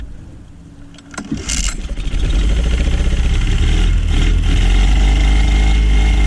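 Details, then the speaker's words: Honda 9.9 outboard that sat unused, would not fire without starting fluid, started after its carburetor main jet was cleaned: the starter catches and the engine settles into an even, steady run at about four beats a second; running pretty decent. "Alright, let's try to make this carburetor just a little better. It's running pretty decent."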